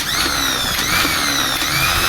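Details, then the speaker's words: Mercedes-Benz starter motor that only clicked in the car, bench-tested off the vehicle on direct battery power: loud, steady high-pitched whir holding speed evenly with no grinding or stalling; the starter spins healthily and is judged fine. "सही है। सही काम कर रहा है। Okay हो गया है।"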